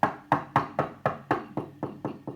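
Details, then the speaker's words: Vox AC30HW / Fender Vaporizer amp, power tubes that had been moved around while hot, knocked while the screws were refitted: each knock sets off a bright bell-like ring that dies away, about four a second; microphonic power tube. "you hear that right it's [ __ ] like christmas bells it's so [ __ ] annoying"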